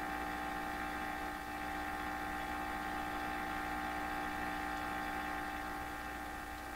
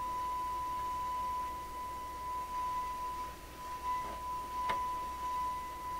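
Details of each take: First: Steady low mains hum with fixed tones on a signal tracer (TRF receiver) used on a 1928 RCA Victor Model 28V radio; stray shop hum is picked up by the test leads and fed into whatever they clip onto. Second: 1928 RCA Victor Model 28V TRF radio garbling investigation: signal generator output heard directly is a steady pure tone around one kilohertz, no warble or garble; clean generator signal.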